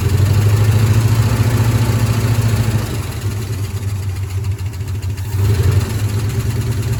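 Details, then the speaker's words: 1972 Ford F-100 Ranger XLT V8, first start after sitting over 10 years, fed by fuel poured into carburetor bowl: loping idle with dropped pulses; missing, owner suspects a stuck lifter. "it's missing sounds like maybe one of the lifters is stuck or something"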